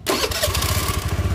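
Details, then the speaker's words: Honda Beat scooter, new battery, starter had only whined and jammed; after replacing the starter dynamo part, starter spins briefly, engine catches at once into steady even idle, no clicking or grinding: normal electric start and idle. "Nah sekarang lancar ya jadi nggak ada suara cekuk-cekuk atau macet di bagian dinamo"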